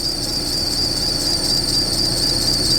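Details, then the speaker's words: Springfield Coach limo engine at cold start: loud, continuous high-pitched accessory belt squeal over idle, dropping about 95% after 10 minutes of warm-up; owner suspects the idler pulley and plans to bypass it. "And that noise will actually start to go away as the belt warms up. So, no, we're not sending our stretches out with belts screaming. But after this runs for 10 minutes and heats up, that noise, I'd say it drops by about 95%."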